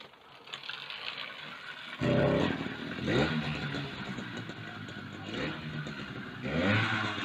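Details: Mk3 motorised bicycle with 66cc two-stroke kit engine after a new CDI was fitted, chain freshly greased: quiet for two seconds, then it catches and revs in short crisp blips with no misfire.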